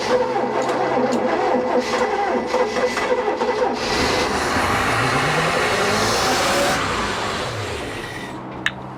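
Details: 1988 Bayliner Avanti 3250 with twin 260 HP 5.7 Chevy 350s and OMC Cobra outdrives, sitting 6+ years, throttle manually opened too far: slow uneven cranking pulses, then a ragged roar as it briefly catches and fades; hard start.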